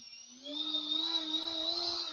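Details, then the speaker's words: HobbyKing 50mm EDF fan unit for an F-16, as removed from the plane and resting on a table, mic close: shrill whine over a steady low buzz and vibration from the unbalanced rotor, before balancing. "so when you have that in the plane you're going to hear all that buzz and you're going to actually feel it in your hand when you're doing that"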